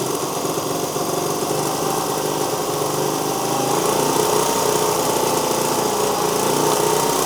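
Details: 1973 Honda CT90 running a cleaned and rebuilt OEM carburetor in place of an aftermarket one, only just being dialed in. Light, even single-cylinder putter at a steady idle with a fan humming behind, worlds better than before; normal idle.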